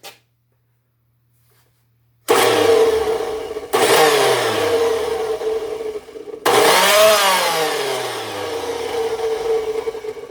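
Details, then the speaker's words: Craftsman 207.25602 circular saw with a badly damaged cord, first run: the motor spins up in three bursts with a rough, warbling whine as it coasts down; owner suspects a malfunctioning bushing or bearing. "and she runs it sounds like there's a bushing or a bearing it sounds like there's a bushing that's malfunctioning on it"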